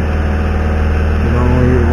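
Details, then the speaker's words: Peugeot 206 S16 petrol engine on ethanol, started cold, after intake manifold repair for vibrating flaps: smooth, even idle with a steady low hum, manifold vibration and buzzing now gone; normal idle. "on les entend plus. Puis, il n'y a plus de bruit de."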